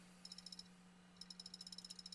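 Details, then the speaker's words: Failing hard drive in a laptop: sharp light ticks about nine a second in bursts over a faint steady hum; disk check cannot run because Windows can't access the disk. "And... oh, the disk check could not be performed because Windows can't access the disk."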